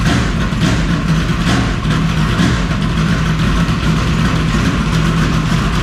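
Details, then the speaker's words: Old No.7 V8 car just fitted with new performance spark plug wires: deep, choppy lopey idle with steady even firing, no knocks or ticks; sounds good; normal idle. "A little spicy there. Sounds good."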